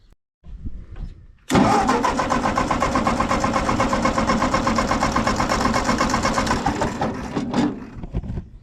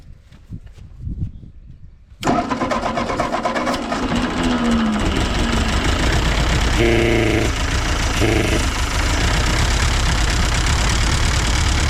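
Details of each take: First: Ford 8N tractor after the carburetor was gone through: the starter churns steadily just under three turns a second for about six seconds and never fires; a failed ignition ballast resistor; the owner had suspected low compression or an intake issue. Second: Ford 8N tractor after carburetor rebuild, choke off: catches after a short crank and settles into a steady, even beat with no misses or knocks, running cleanly, though reluctant to draw fuel and idle; owner suspects an intake leak.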